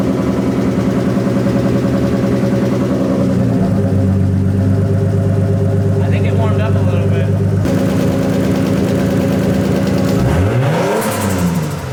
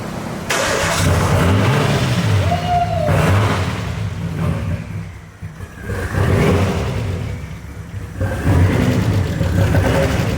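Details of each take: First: RB25DET Skyline running an adapted RB20 harness, on its first start with no exhaust fitted: a rough idle, then revs climb and fall with fluttery chatter on lift-off. This is compressor surge with the blow-off valve blocked. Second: Nissan Skyline with freshly swapped RB25DET turbo engine, first start with no exhaust fitted: loud, raw engine swelling and dropping with throttle blips then settling to idle, running on first try.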